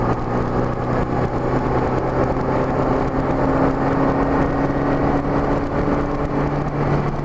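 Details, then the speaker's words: 1984–85 Honda GL1200 Gold Wing after Honda Service Bulletin carburetor kit for low-speed hesitation: light-throttle roll-on on the road, smooth engine drone rising evenly under wind noise, no stutter or hesitation; running cleanly. "I was accelerating up just light throttle but it's not stuttering one bit really fee"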